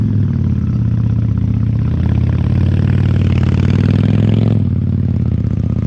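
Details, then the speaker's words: 1998 Honda Shadow 750 ACE V-twin, neglected and rusty after sitting over 5 years, running after carburetor cleaning: deep, loud, blatting exhaust, louder than owner remembers, with ragged, uneven beat that dips toward the end, hesitant. "it's loud louder than I remember honestly it's kind of too loud"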